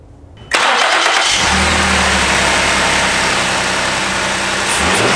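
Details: Car with check engine light coming on in rain, after replacing all three coils and spark plugs; fires instantly and settles into a smooth, steady idle with no misses; running normally.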